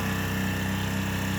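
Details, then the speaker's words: Baja 900 W propane generator (same as the Ryobi unit), about 25 °F outside, no load; meter at 3 ft reads 75–77 dB. Steady, even hum with a smooth low pulse, no knocks or surging; normal running. "So right here, 3 feet away, it's 75, 77 dB."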